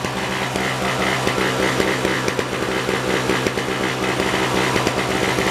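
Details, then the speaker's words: 1970s (possibly 1973) Nova two-stroke snow blower switched choked to unchoked: raspy run with uneven pops and surges, choke changes nothing; stuck choke or carburetor fault suspected, not confirmed. "I expected a backfire. It don't sound like it's running all that good."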